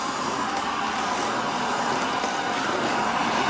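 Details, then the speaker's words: Shark Rotator NV520 vacuum, second pass over baking soda with filter already clogged: steady airy roar with tight strained hiss, no longer picking anything up; baking soda packed in cyclone and filters, suction lost. "Not picking up anything now. You hear how that sounds?"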